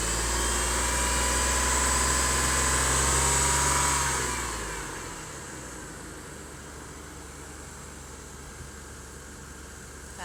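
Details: 2003 GMC Envoy under acceleration: loud roar with steady deep drone and high whine, quieting as revs drop; also stalls when heat is turned on at idle; ignition coil already replaced.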